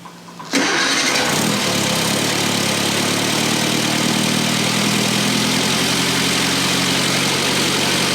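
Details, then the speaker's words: 1962 Austin-Healey Sprite, out of 10+ years' storage, after a teardown to fix a lower-end knock, started in gear with no coolant in the system: cranks and catches in half a second, then a steady, even idle with no knock or miss; normal start, transmission good. "All right, trans is good."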